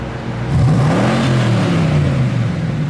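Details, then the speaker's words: C4 Corvette V8 just reassembled with Holley plugs, coils and wires, revved a little higher: rumble rises then settles at slightly raised speed, smooth, no misfires or rattles, a little smoke; sounds healthy. "right. A little bit of smoke. It might clear out though. Sounds good."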